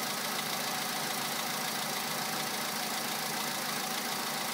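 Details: 2011 VW Polo sedan, 64,000 km, 98 petrol, +2°C: cold idle with a steady ticking knock about twice a second over a hissy note; unchanged by accessory load, cause unknown.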